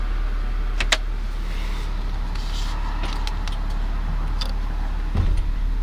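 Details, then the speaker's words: 2007 Toyota Sequoia SR5 with hard 4WD engagement, in drive: several sharp relay clicks from behind the glove box and a soft thump over engine and road hum, with a slight shake. 4WD engages normally. "I put it in the drive. The relays from behind the glove box went click, click, click, click, click, click, click, and it went off."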